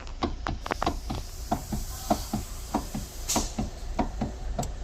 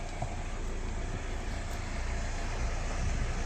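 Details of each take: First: Kia Soul steering wheel worked back and forth: sharp hollow knocks about one every half second. Most likely from the steering coupling, which is replaced after removing the ESP motor below. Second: Kia Soul after replacing the steering coupling (kaplin) under the electric steering motor: steady low rumble with no knocking as steering is turned; previously knocked, now quiet steering.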